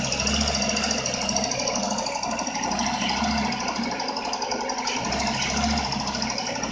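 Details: Renault Megane 2 engine at idle: fast, light metallic ticking with a slow rise and fall in the hum; owner asks for help with a knock inside the engine, source unclear.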